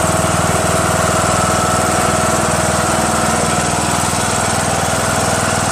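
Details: Craftsman LT2000 19.5HP lawn tractor engine after valve lash adjustment, which fixed the loud running and front clicking; now idles quieter, smooth and even with no top-end ticking and no valve cover leaks.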